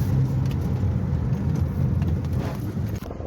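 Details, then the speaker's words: Toyota Prius 1.8 (2ZR), sat long after accident, no start with no error codes, fixed after restoring missing fuel pressure: steady low even engine rumble with no misses or knocks; running smoothly. "तो गाड़ी हमारी start हो गई है इसमें फ का pressure ही नहीं था जिसकी वजह से गाड़ी स्टार्ट नहीं हो रही थी"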